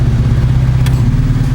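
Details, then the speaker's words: Proton Saga/Iswara after replacing air-con idle-up vacuum actuator (FICD): low, steady idle holding speed without dipping, RPM stable with the load on. "Ok kita start enjin! Tengok vaccum actuator ada jalan ke tidak. RPM nampak stable."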